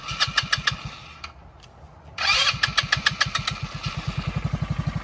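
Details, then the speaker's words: Go-kart small engine after cleaning a dirty carburetor for a crank-no-start, started by jumping the solenoid: cranking stalls briefly, then catches with sharp even pops settling into a steady run as fuel fills the line; engine starts and runs. "we go now we need to let the fuel go through the line but it sounds like it's running pretty good"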